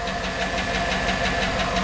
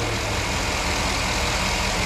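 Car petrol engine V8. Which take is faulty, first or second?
first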